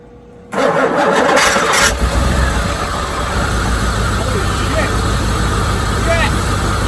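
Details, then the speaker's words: 1987 Corvette C4 with TPI, after installing mass airflow sensor: cranks briefly, catches and settles into steady even idle with no misses or knocks, slight vacuum leak in runners noted; normal start and idle. "That's what it was, mass airflow sensor."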